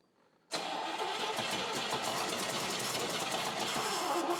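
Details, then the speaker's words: Car engine cranked for the first time after engine and transmission install: starter spins at a steady quick chug, about 200 beats a minute, but never fires; no fuel reaching the carburetor yet, and the tank has only a tiny bit of gas. "Okay. Stop. Stop. Stop. We have nothing in the carburetor yet."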